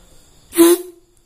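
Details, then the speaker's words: Yamaha RX-King two-stroke leaking reed valve after bending the loose petals by hand: blown through by mouth, a short clear horn-like tone near 350 Hz, trumpet sound it lacked before; reeds now sealing. "Benda yang sebelumnya tidak terdengar seperti terompet ini sekarang terdengar seperti terompet, dan hasilnya luar biasa, Bro."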